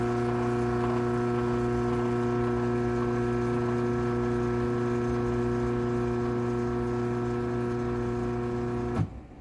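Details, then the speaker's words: LiftMaster 8365W-267 Wi-Fi garage door opener (dated May 15, 2019, a dumpster find with a past wiring issue) running the door down: a steady, even motor hum for about nine seconds, then a clean stop. Normal, fairly quiet operation. "we'll go ahead and run the 8365w um this one actually isn't too loud run it down"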